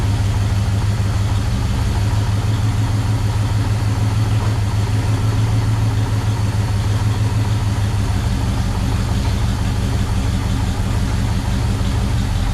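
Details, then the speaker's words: 1974 International pickup, sat unrun for years and just dragged in from a grove, fresh battery and fuel bowl filled: low, loud, lumpy, ragged idle with no revving, kept running only with vice grips clamping the choke closed. "well got the old uh vice grips on the choke so see if we can keep it running long enough to check the transmission"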